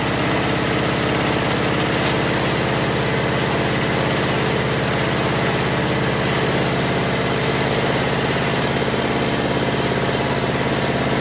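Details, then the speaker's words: Craftsman lawn tractor after no-start repair with new carburetor parts including float needle valve, idle over a year, full gas tank: steady, even small-engine drone holding one speed, no misfires or rattles; normal running. "I'm gonna open the shop door and take it outside, let it run for a while and warm up."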